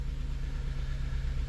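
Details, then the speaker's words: 2006 Honda Element K24 four-cylinder with a flashing check engine light and a P0301 code idles with a slight uneven stumble. Misfire counts point to cylinder two, and an injector swap confirmed a bad injector. "Very rare, but man, we do have a misfire on a bad injector."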